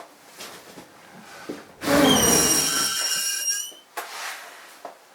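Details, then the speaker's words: Newly installed extractor fan, cleaned out and blown into by mouth to clear dust: bright shrill squeal with stacked high whistling tones while air passes through; owner fears a faulty fan; fan squeak when air blown through. "just cleaned it out and blew into it just to blow any dust out of it. And listen to the noise it makes when I blow into it."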